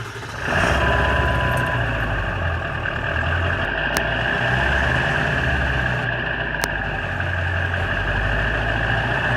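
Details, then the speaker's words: Ford 7.3 Powerstroke diesel, first cold start at 34°F after new injectors and glow plugs, glow plugs warmed, sat about a week; catches within half a second into steady even diesel clatter, no misfire, with new tune's slightly odd idle. "cold start do it new globe plugs new injectors she fired right now I'm super happy"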